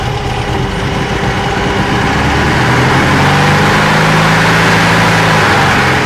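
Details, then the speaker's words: VW air-cooled 1600cc turbo (T3) dune buggy with DIY fuel injection, no high-idle air valve; cold start, O2 sensor not yet warm, air-fuel bent into the rich zone; steady, slightly lumpy idle, even low throb smoothing near the end; normal warm-up idle. "right now the cold arrangement is Ives a special the g4 you see the her feel rates are bent right into the rich zone"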